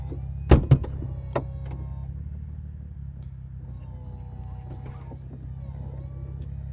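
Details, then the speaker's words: 2011 BMW Z4 E89 hardtop convertible, roof previously stuck open with hydraulic fluid temperature sensor and A6A3 codes: soft thunks then steady low hydraulic pump hum as roof cycles open and closed with button held; normal operation. "So it goes stands open, closed. So that's it doing its business, as you can hear."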